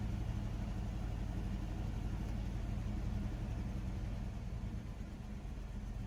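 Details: Chevrolet S10 pickup unrun since 2019, after fuel tank swap and mouse-nest valve cover cleanup: low, uneven, lumpy idle with wavering speed; rough idle, owner suspects debris still plugging injector, planning Seafoam.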